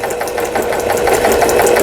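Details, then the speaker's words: About 15-year-old Janome-made Diana compact sewing machine sold by Lion, after repair of a balance wheel/crank pushed inward, apparently from being dropped; straight-stitch test with quick, even pulses about five a second and light whirr, no catching or binding; stitches well. "아주 박음질 잘 되게 수리가 잘 되었습니다."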